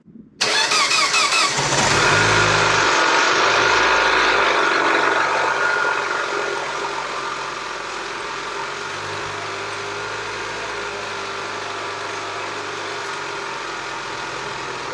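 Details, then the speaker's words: Abandoned 2007 Mini Cooper S after new turbo oil supply line, with front-end parts and some sensors not hooked up: brief crank, catches and flares high, then steady even idle without knocks or misses; running decent, normal start and idle. "all right guys update is the engine's starting it's running decent i mean yeah good we don't have some sensors hooked up"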